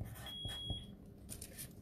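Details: Smoke alarm indoors in a craft studio during a live craft session gives one short high beep over room noise; something is wrong with the alarm, exact fault unclear.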